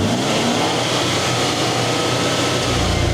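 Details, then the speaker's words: 2020 Toyota Tacoma TRD Off-Road with a newly installed K&N NextGen cold air intake, held around 3,000–3,500 rpm; smooth, even throaty intake roar, no knocks or rattles: normal healthy revving. "we'll see how it sounds on the uh the mics outside, but so far that's sounding pretty healthy."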